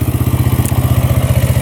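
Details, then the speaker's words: Yamaha Raptor quad, good compression and spark, after valve clearance check (intake 0.004 in, exhaust 0.005 in), idling: steady low even single-cylinder thump, no knocking or smoke; healthy idle. "Top end sounds good. No knocking. Idling perfectly. Nice and low."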